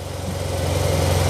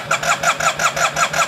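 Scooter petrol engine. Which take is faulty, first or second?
second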